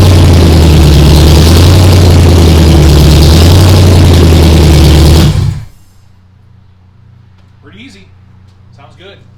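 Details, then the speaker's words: Ford Ranger rock crawler truggy, first start, cold, open headers with no exhaust, fuel primed: loud, deep, rowdy rumble running steady and even until shut off; healthy first start and idle. "there is no exhaust it's just open headers so it's pretty rowdy"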